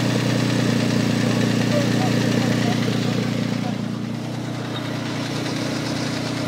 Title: Infiniti G35 2004 Engine Knocking or Timing Chain Tensioner tapping_??